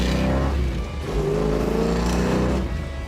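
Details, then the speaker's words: 1970 Plymouth Cuda, 440 Six Barrel (center 350 cfm carb, two 500 cfm outboards), 4-speed, Dana 60, road test opening the secondaries: deep, even V8 roar rises smoothly with no knocks or misses; sounds healthy, normal acceleration. "Sounds good. Sounds healthy. It's the way they're supposed to."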